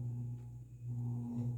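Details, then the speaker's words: Dayton 60-inch industrial ceiling fan model 4C721 with cast-iron motor and bearing issues, zero-to-high spin-up: steady low hum with faint buzzing overtone, believed to be the canopy vibrating rather than the motor. "i think that noise is the canopy vibrating not the motor itself"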